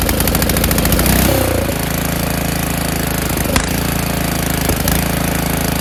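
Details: Snowblower winterized years ago, started on choke, throttle high, after priming despite oily fuel; small single catches and settles into quick steady chug with no knocks or misses: normal running.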